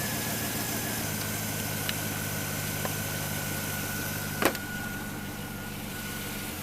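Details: Saab 9-7X with dead battery, started using an AVAPOW A68 6000A jump starter: steady even idle hum, no knocks or misses, couple of faint handling clicks; engine runs smoothly.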